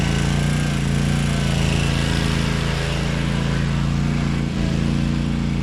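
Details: 2012 Toro Timecutter SS 5000 zero-turn, Kawasaki twin, after fixing rockers and adjusting valves, engine cover on: steady, even twin-cylinder beat at constant fast idle, no knocks or stumbles; running on both cylinders.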